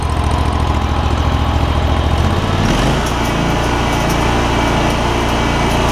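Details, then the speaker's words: John Deere ZTrak Z915E mower, Kohler Command CV742 25 hp V-twin, 341 hours, sat 2 years, after carb clean fixing sticky solenoid: steady even thrum, no misses, knocks or hunting, changes speed smoothly; normal healthy running. "CV742. Big boy, 25 horsepower. So, man, that thing runs so good."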